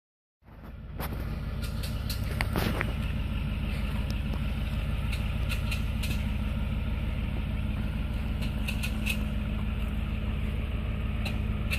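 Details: 2006 Lincoln Navigator 4x4 running: sharp, irregular intermittent clicks over a steady low engine rumble, with no driveability issues.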